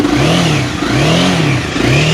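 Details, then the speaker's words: Used Honda CBR300R/CB300F 300cc motorcycle blipped up and down cleanly with no knocks or rattles; fuel pump working, no white smoke, engine described as tight and smooth-sounding. "โอ้โหเสียงนุ่มมากเสียงเครื่องนี่แบบแน่นจริงนะฮะแน่นตึ๊บเลยนี่ดับเครื่องด้วยสวิตofRunโชเลยนะครับผม"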